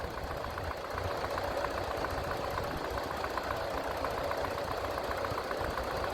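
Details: Massey Ferguson TEA20 tractor four-cylinder after service with new points, oil and oil filter change, oil pressure rising: steady, low, even idle beat with no knocks or rattles, no leaks; normal running.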